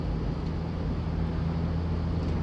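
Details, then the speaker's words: Van on the move after all four shocks were replaced: steady low road and engine rumble with no rear clunk, after wire was put between the loose rear shock bolt and the body to take up the play. "those problems rather sound anymore so the wire I put the white between the the shock boat and body of this vehicle work because I take care of the looseness on between the bolt and body as you see no more router noise anymore"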